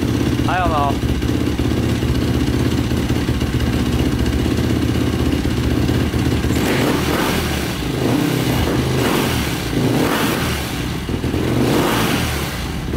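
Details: 2005 Yamaha YFZ450 ATV with a 98 mm big bore, start after rebuild. Steady single-cylinder thump with even firing and no misses or rattles, no longer stalling. Exhaust glowing red, which the owner thinks is normal. Normal running.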